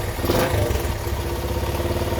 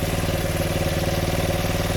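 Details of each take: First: 1975 Honda XL100 K1 single, just after a new ignition switch was fitted. It settles into a steady, even putter after a brief blip, with no clatter or misfire: healthy idle. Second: 1975 Honda XL100 K1 single with a replacement Chinese carb, at idle. Steady idle with a fast, even light rattle on each firing pulse. The owner is unsure whether it's the engine or something rattling on the body.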